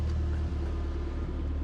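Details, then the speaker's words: Forged Ford RS (Cosworth) during running-in, throttle idle turned up after cutting out in traffic: low, even rumble with no stumbles; smooth normal idle. "But yeah, listen to her purr. I've got to turn the throttle up a little bit cuz it was cutting out in traffic. But yeah, now it's idling absolutely lovely."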